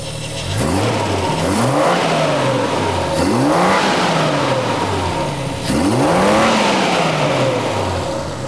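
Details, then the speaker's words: 1975 Triumph TR6 PI with Lucas mechanical fuel injection and individual throttle bodies open, freshly tuned: three clean throttle blips with smooth rise and fall, then an even idle. Normal revving and idle. "I'm just going to start it up and see how it sounds with these open."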